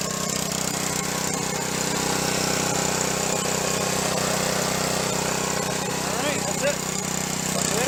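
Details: Junk pressure washer, small engine with replaced pump, tested after repair: steady, even drone, no knocks or surging; normal running.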